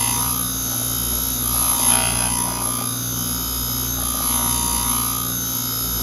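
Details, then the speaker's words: Back-cutting an engine valve on a valve grinding machine with the valve held in a chuck: a steady rough hiss over a hum with no smooth, even tone. The grinding stone needs dressing. "but let's just get to cut [Music] [Music] you can tell the stone needs dressed hear it"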